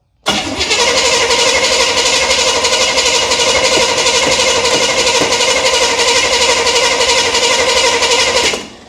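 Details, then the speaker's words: 1978 Chevy Nova, car sat for 21 years, carburetor bowl filled after it fired earlier: starter whirs steadily for about eight seconds, even cranking rhythm, never fires. Owner suspects flooding. "All right, y'all ready? Okay. Well, what happened? Did we flood it out?"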